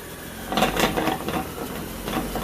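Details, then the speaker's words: 2009 Ford Escape Hybrid pulling off in drive: a few dull clunks as it takes up drive, then lighter knocks while rolling; the front driveshaft joint into the front differential is off-center after a mechanic's reassembly. "So I think the issue is, if you look at this joint up here that goes into the front differential, it does not look centered."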